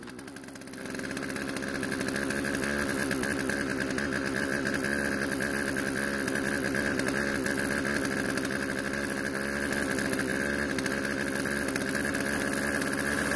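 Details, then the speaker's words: Poulan chainsaw out of storage, after carb adjustment, chain tensioned and sharpened; catches after a second, then steady even buzzing idle, no stumbling; idle speed needed adjusting to stop chain creep. Normal idle. "surprisingly besides needing to adjust the idle speed to keep the chain from moving while off the trigger it seems to be running and cutting just fine"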